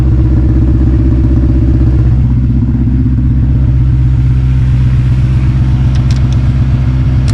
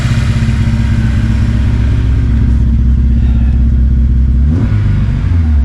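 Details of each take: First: 2006 Honda S2000 AP2, 6-speed manual, after a cold start that misfired: warmed-up engine holds a steady even idle with no stumble or skip; the misfire clears once warm. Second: 2006 Honda S2000 AP2 4-cylinder at idle: loud, uneven stumbling beat, about four pulses a second landing unevenly; still misfiring, owner suspects an injector, ruled out bent or burnt valve.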